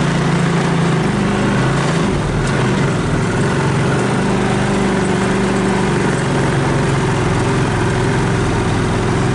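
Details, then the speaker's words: 2014 Linhai Big Horn 400 UTV, choke on, cold after carburetor refitted: steady even single-cylinder putter with no misses; later it misfires and dies when warm as the CDI pulse generator goes open circuit. "so starter sounds a little better now that it has full clearing smell good or something but it's idling"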